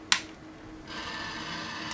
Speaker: so you hear the motor turning oh there we go there's a light and as I'm talking it picks up my voice and activates but the motor continues turning even if it's off